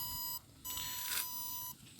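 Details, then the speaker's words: Battery desulfator pulse generator clamped onto a 12.8 V lead-acid battery: high, thin tone cutting on and off in bursts about once a second as it starts pulsing, working normally. "it shows you the um the voltage that's 12.8 and you give it some time starts pulsing"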